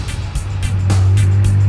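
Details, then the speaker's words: Roadkill project truck overfilled with motor oil (about 15 quarts, oil drain needed, smoking) and still cold, with the alternator not charging: deep engine drone that grows louder without picking up pace as the secondaries kick in; bogging under throttle. "It's like, it sounds louder and it goes slower when you hit the gas."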